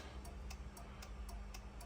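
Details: Fiat Doblo that would not restart after being parked: with battery reconnected and engine not running, steady relay clicks about four a second as the hazards flash constantly; body control module fault with corrupted EEPROM.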